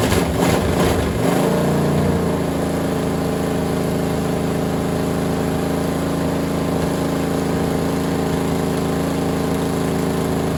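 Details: Freshly assembled small-block Chevy for a Model A hot rod, first start on a stand with temporary headers and gas sprayed in: after cranking it catches into a steady, even, loud open-header rumble with no knocks or misses.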